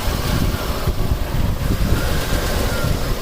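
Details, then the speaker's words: 1989 Buick Reatta 3.8L at warm idle in closed loop, oxygen sensor reading lean and adding propane kills it: a loud, uneven idle with a ragged low rumble that rises and sags. "okay guys so here's what the car sounds like when it's idling see we're in closed loop and the auction sensor keeps going down and down and down saying that we're we're running lean and you can hear how the car is running"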